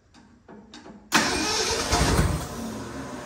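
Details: 1967 Ford F100 V8 that sat 28 years fires on a spritz of fuel. A few weak starter turns, then it fires loudly and runs rough for a couple of seconds; it starts but won't idle yet.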